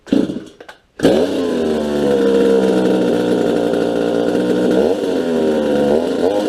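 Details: Farmertec Huztl MS250 chainsaw after final assembly with an opened-up muffler, first start: crisp, steady two-stroke buzz holding an even pitch with only slight wavering. Normal running.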